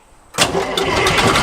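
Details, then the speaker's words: Old diesel engine of abandoned combine revived last fall, started in neutral: short crank, catches at once and settles into steady, even clatter; runs like a champ. "All right, let's get her on out of here. Onward to the field. That old diesel runs like a champ."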